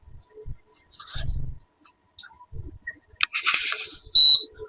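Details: AC/DC fan on 12 V DC gives one short high beep and no motor hum; the fan beeps but does not run. The DC driver side is faulty, with a MOSFET (7N65-type) and fuse, VDR or bridge as typical culprits.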